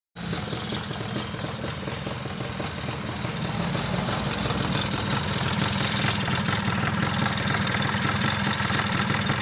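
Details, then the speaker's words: Suzuki Tornado two-stroke running rough and noisy, loose clattering knock over idle, before repair; worn scratched cylinder (rebored) and crankshaft parts replaced. "maka akan bunyinya akan kasar seperti pada awal video tadi ya kita dengar suaranya sangat kasar sekali"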